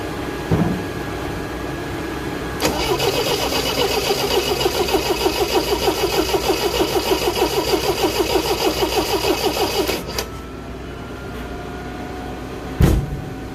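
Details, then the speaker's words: Engine cranks steadily at about three beats a second for seven seconds but never catches after the distributor cap was refitted. No spark found, cause unknown: crank, no start. "And it would appear I have no spark. Go figure. Now, the million-dollar question is, why don't I have spark?"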